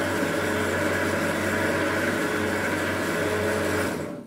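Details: Wie-Jie WJ-30P thread cone winding machine: steady even motor hum with light mechanical whir, no knocks or rubbing, spinning down at the end; winder runs normally.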